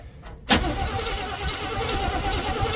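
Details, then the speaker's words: GM square-body dump truck, starter fed by tapping the purple solenoid wire: the starter spins the engine at a steady, even pace with no grinding or clicking; healthy cranking, not firing yet, spark and fuel still to sort. "seems to crank over pretty good so uh now I'm going to focus on getting spark and get spark and fuel make it run"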